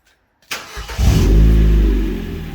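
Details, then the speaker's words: Project "Turdlido" car started after refitting the rear exhaust back box with a new gasket: starter catch, quick rev flare, then deep smooth even idle with no ticking or puffing at the front; exhaust now sealed, exits at the back, much quieter. "Well, that sounds like that's coming out the back this time. That's better. That's a lot better. A lot quieter as well."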